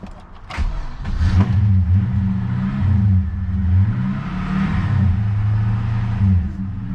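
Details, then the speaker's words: Manual Holden Commodore SS V8 that was towed home, battery just reconnected; lumpy idle surging and sagging as if dying, dash and tacho freaking out; owner suspects a fried alternator, no charge; rough running. "okay it's running now I think the alternator's gone I think it might be the alternator system check okay I wonder if the alternator like smoked and fried it"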